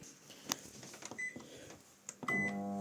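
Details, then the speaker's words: Clothes dryer switched on after it was run without the lint filter: a few clicks and beeps, then a steady low electrical hum while the motor does not rotate; motor stalled, drum jammed, owner suspects a foreign object inside. "see this humming sound is coming it's not the motor is not rotating so this is dangerous"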